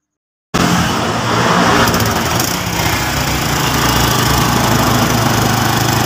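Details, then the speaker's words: Honda Revo Absolute single just reassembled, with valve clearance set to 0.5 mm: steady idle with sharp, raspy puffing over the exhaust note from a leak in the exhaust header pipe, not the muffler; to be sealed. "ini sayang untuk knalpot masih bocor ya jadi di pipa di pipanya yang bocor bukan baknya"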